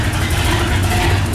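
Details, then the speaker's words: Walkinshaw Holden V8 in a VK Holden, freshly installed and started: deep, steady burble with an even low throb and no knocks or misses; normal idle before tuning. "finally going everything sounds good now"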